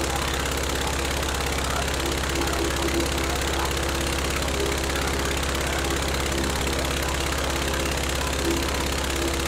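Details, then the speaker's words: Rebuilt Praga B2 aero engine, last run 1 September 1939 on Hillson Praga G-AEYM, test-run bolted to a Vauxhall, at full throttle with lots of smoke: steady, dense roar with no misses or surging; runs cleanly and evenly. "Look at all the smoke. That was full throttle."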